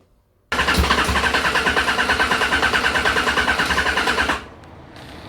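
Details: Yamaha XJR1200 that stood over a year on stale petrol, fresh fuel just added, carbs due for cleaning and syncing: the starter churns at about three even pulses a second for four seconds but never catches. Hard start, possibly fuel reserve or jetting, not confirmed.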